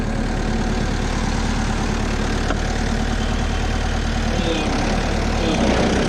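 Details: Stump grinder with freshly rebuilt engine (new rings, cleaned piston), first job grinding a willow stump: strong steady drone under load with slight dips as it bites in, pulling cleanly; oil on heat shield later burnt off; normal running under load.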